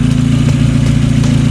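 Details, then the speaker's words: Turbo Miata idling after homemade exhaust manifold gasket replaced wrong ordered part, hot day, not run in a while; even steady low idle pulse, no ticking or puffing from manifold; leak fixed, exhaust heard hitting something minor. "ah it looks like we're all good looks like we don't have no more leaks"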